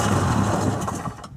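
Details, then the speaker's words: 1994 Sea-Doo SPX after purging crankcase water, with gas poured in and plugs refitted: low, ragged putter as it briefly fires on primed fuel, then dies within a second. "ooh it's started I think dribble some gas down the actual intake Port see what"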